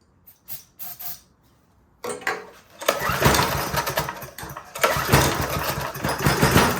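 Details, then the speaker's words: Older Briggs & Stratton 5 hp engine on a generator, full choke, won't start; on starting fluid it catches, sputters and pops unevenly, then dies; owner suspects carburetor, possibly low compression. "And that's about all it does. So I suspect it's something carburetor related."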